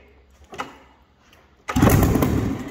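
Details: 2000 Yamaha SRX700 three-cylinder two-stroke triple snowmobile, non-runner fixer-upper, brake cleaner sprayed in for starting; quiet pull, then catches at about 1.7 s into a loud buzzy run, fires and runs briefly.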